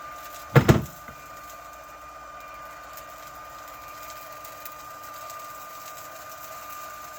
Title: Litter Robot 3 Connect (Brand new) Loud Popping Noise